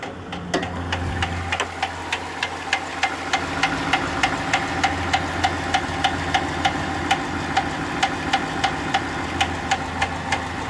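A sharp, even knock, roughly three per second, rides over the steady engine note at idle: a clear internal knock.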